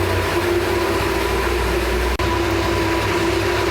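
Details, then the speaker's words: 1966 Ford F100 V8 with new parts-store exhaust and Thrush glass pack muffler: steady, low, even idle with soft, mellow exhaust note, no knocks or rasp, much quieter than before; idling cleanly. "Oh yeah, much quieter. Much better. Now I can drive this thing."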